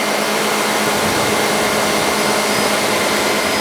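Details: Vehicle AC blower set to max during R134a recovery step on the service machine, high hose disconnected: steady even rush of air with faint constant hum, no wobble or rattle; blower running normally on high.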